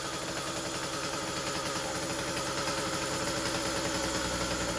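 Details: Husqvarna 36 chainsaw after stuck-needle repair, running: steady, fast buzzy idle with no hunting, set so high the chain spins; idle then adjusted down until the chain stops, and the high end still sounds rich.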